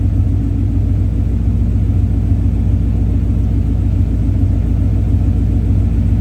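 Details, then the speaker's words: 1965 V8 with check engine light code P0352: at 2000 rpm or less the exhaust burbles like unburned fuel, a deep rumble with an uneven, lumpy pulse and a hiccup; owner suspects a cylinder not firing cleanly, unconfirmed. "Oh, but what I was saying was 2000 RPM or less, it burbles. Like there's fuel not getting burned."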